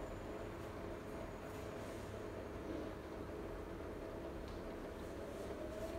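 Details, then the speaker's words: Siemens iQ300 front-loader (title: WG41A1X1TR, 9 kg, 1000 rpm; speech says 10 kg, 1200) on a 13-minute spin program, rated 72 dB when spinning. Early low-speed phase before peak speed mid-cycle: steady low hum with a soft whir, normal. "Yeni nesil çamaşır makinesinde sıkma işlemi 13 dakika sürüyor arkadaşlar. Sıkma işleminin ortalarına doğru sıkma devri en yüksek seviyeye çıkıyor."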